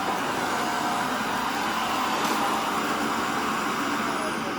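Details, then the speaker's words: Shark Rotator NV520 vacuum, second pass over baking soda with filter already clogged: steady high rushing hiss with strained, choked edge, not picking anything up; baking soda packed in cyclone and filters, suction lost. "See this? Not picking up anything now."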